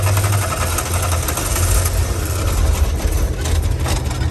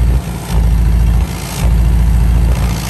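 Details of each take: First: Air-cooled VW camper van, revived after 10+ years parked in a field, idling rough with exhaust detached; loud uneven thrum, barking ragged exhaust; running rich, dumping fuel; detached exhaust part rattling. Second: Revived VW camper van on a road trip after its exhaust got louder, checked at idle for exhaust leaks: deep, even rumble that swells and settles with no ticking or puffing. No leaks were found and the exhaust is sealed.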